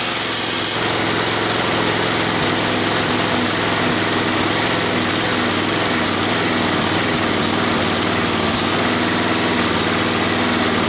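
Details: Roadside-salvaged Nautac mower with Quantum XM engine in poor condition: steady high-pitched single-cylinder buzz held at speed with a constant rattly shake; owner blames the rusted, weakened deck and a probably unbalanced blade.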